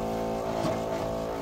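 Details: Microtek inverter on 12 V battery, no load, drawing 17 A; loud steady electrical buzz with a rough edge, harsher than normal; transformer short suspected, cause not confirmed.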